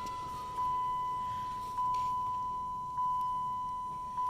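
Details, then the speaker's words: 2008 Dodge Avenger, key on, engine off, A/C on: light regular ticking about fifty a minute from behind the glove box; failing blend door / air recirculation actuator. "Now, if every time you turn your key on, you hear this ticking noise. I mean, the car doesn't even have to be on. It's when you turn the AC on."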